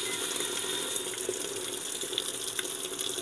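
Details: Sanyo washing machine, lowest water level selected: steady hiss of water pouring into the tub with no hesitation or chatter, a normal fill, before the water shuts off.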